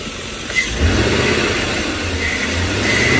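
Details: 2005 Chevy Tahoe after replacing a leaking vacuum line. It had shaken while driving and flashed the check engine light. Engine catches and settles into a steady, even idle with no hiss or shake; normal idle, problem fixed.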